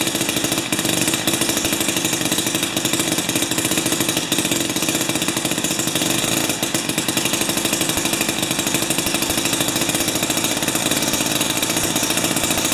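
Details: Jiffy 30 3HP two-stroke ice auger on 30:1 fuel, after repositioning the carburetor diaphragm and priming: steady buzzy high-pitched drone with an even rhythm; runs smoothly, though it still backfires at full rpm.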